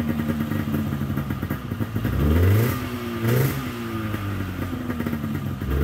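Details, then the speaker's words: 1997 Polaris XCR 440 twin liquid-cooled two-stroke snowmobile, pre-mix plus oil injection, just revived: fast idle about 1400 rpm with throttle blips, smoky, revs rise lazily; a little boggy, owner may end up pulling the carbs apart. "idling at about 1400 RPMs I would say the oil injection is working and it's pretty smoky in here um have high beam low beam brake light tail light it does seem a little boggy so maybe we'll end up plugging those carbs apart"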